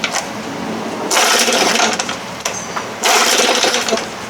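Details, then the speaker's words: 1968 Evinrude 6 hp outboard, throttle set way up on high speed: buzzy small two-stroke rises in bursts then sags back, revs hunting up and down instead of holding; carburetor stays closed until it reaches the throttle cam. "it goes right back down again it's all over the place"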